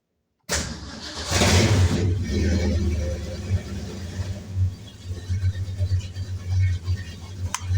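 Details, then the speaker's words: 1965 Ford Mustang 289ci V8, cold start on a weak battery at about 11 volts, just after adding an extra oil pressure sensor: short crank, catches on the first try, settles into a lumpy uneven V8 idle; normal cold start. "C'est le moment où on démarre et on vérifie si les deux fonctionnent. Donc là, on a 11 et quelques, mais c'est parce que c'est ma batterie. Donc d'ailleurs, elle n'est pas très chargée. Et ça devrait démarrer quand même."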